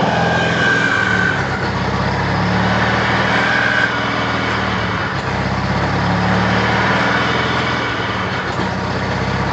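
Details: 1993 Mazda RX-7 turbo rotary at steady idle with a thin high whistle riding over it now and then; turbo whine.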